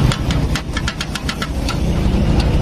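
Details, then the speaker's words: 2021 Honda Beat scooter engine, first start after rebuild: sharp irregular ticking clatter over a low steady idle; noisy top end, cause not yet pinned down; injection system suspected and needs reset after reassembly. "kalau pilihnya udah kuat dia dari putaran mesin aja udah kedengeran datar ini yang berisik ini"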